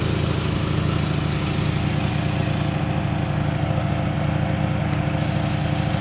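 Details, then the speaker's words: 1984 Toyota Camry DLX with under 100k miles, idling and revved with the door open: a loud, low throbbing with a raspy, puffing edge at about three beats a second. Exhaust leak, louder than it should be. "It has an exhaust leak. It's not supposed to be that loud. So, my apologies. Probably should get that fixed."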